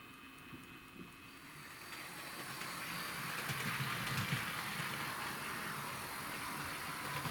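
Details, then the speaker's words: Hornby Class 60 model loco (2012 EWS) after gear fix and twisted wire repair, body refitted: soft even whirr with light hiss, no clicks or grinding; now running quietly, normal running. "we running nice and quietly so we've got to make sure all the other bits work"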